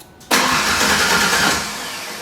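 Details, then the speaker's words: 1992 Ford Ranger with rebuilt 2.9L engine at first start after reinstall; catches abruptly and coughs, running rough and uneven before settling, with ignition timing suspected too far advanced, later corrected by moving the distributor one tooth. "there you go she cough a little we might be too far ADV I don't if we got it"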